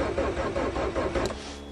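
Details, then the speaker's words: Geo/Suzuki Swift cold start in March after sitting, with stale fuel and a hacked ignition; about a second of rhythmic cranking at roughly five pulses a second without catching. Crank no start, cause unconfirmed. "Come on. And some stale fuel. And a hack job on the ignition. Come on."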